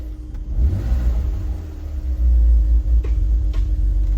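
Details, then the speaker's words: BMW E46 330i from impound auction, first start after sitting, very low fuel, throttle blips: low rumbly idle with sharp pops; lean backfire in intake, suspected massive vacuum leaks. "Oh yeah, I can hear the lean fire, backfire in the intake. You hear that? That's a lean backfire in the intake, so massive vacuum leaks."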